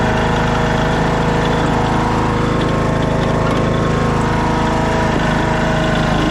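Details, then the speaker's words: 2014 Craftsman T1600 lawn tractor idling after bypassing the broken blade safety switch that had stopped it while mowing. Smooth, even low putter of about three beats a second with no misses or rattles. A healthy idle. "See if he'll start on idle there. Oh yeah. What a sweetheart."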